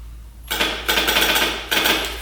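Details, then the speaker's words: Honda Fourtrax 350 4x4 ATV, sat neglected for years; lights work but starter only clicks with loud repeated clacks and the engine never cranks; kickstart turns it so engine not locked up; solenoid/battery suspected, not confirmed. "like starter does not work it's just clicking back here something Spark so that is definitely not working"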